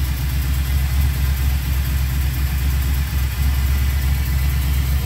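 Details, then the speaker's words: Chevy C10 LS engine from a donor, run with Holley Terminator X and ultrasonically cleaned injectors: uneven loping idle missing about twice a second, running on six of eight cylinders from two loose spark plug wires. "okay got it fired on all eight right before it was only six"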